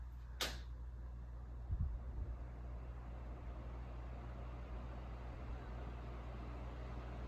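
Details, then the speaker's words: 1983 Crown 12-inch oscillating fan on its first test run at low speed: a click, then a soft, even hum with no ticking or scraping. Normal on low, though it shut itself off shortly after. "seems to work good that's a quiet fan"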